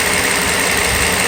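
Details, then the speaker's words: Mercedes SL600 V12 at cold-weather idle after a vacuum hose leak repair: even, steady hum with no misses, ticks or hiss, smooth and balanced like a sewing machine; phone stays standing on the engine block; normal idle. "the engine right now right now runs just like a sewing machine perfect"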